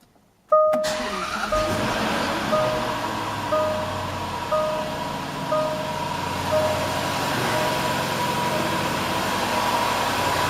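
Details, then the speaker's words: Healthy low-mile 2011 Range Rover Supercharged (L322), 5.0L AJ133 direct-injection V8, about 28,200 miles: catches quickly and settles to a smooth idle with a faint steady whine, normal injector ticking, no timing chain or supercharger coupler rattle. "there's been a lot of questions about what a normal startup and engine should sound like without the timing chain rattle and supercharger coupler failing so here we go"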